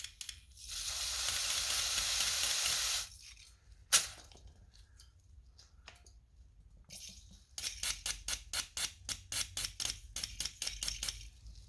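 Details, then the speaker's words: 1994 Vauxhall Astra GSi C20XE fuel injector on a cleaning kit bench, pulsed by tapping battery positive: steady hiss then quick sizzling bursts, clicking, spraying cleanly, a clean injector. "i think that's a pretty clean injector give that wipe down and i'm gonna do the other three"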